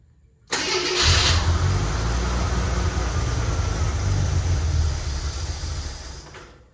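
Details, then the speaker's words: AMC Eagle carbureted engine, air-fuel mixture suspected out of adjustment, possibly a vacuum leak; catches quickly, then runs with an uneven, lumpy beat and fades off after a few seconds, rough running after start. "Alright, so it's pumping fuel, it runs it on, if you hold it, it'll run. So that's an adjustment, it's an air-fuel mixture adjustment."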